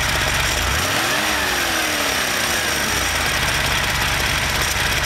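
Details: Porsche engine: light ticking over idle that fades as rpm is raised and returns as revs fall; top-end tick, source not identified.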